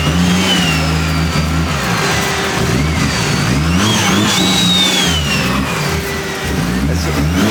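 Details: Scratch-built 1JZ-GTE swapped into a Nissan 350z on first start-up: several quick throttle blips rise and fall cleanly, holding a steady idle on its own between them; ran good.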